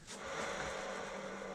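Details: Rear of a Piaggio MP3 500 scooter, steady rough whirring hum with a faint low tone heard near the rear transmission/clutch side, louder on that side by screwdriver listening; rear bearing noise suspected, not yet confirmed.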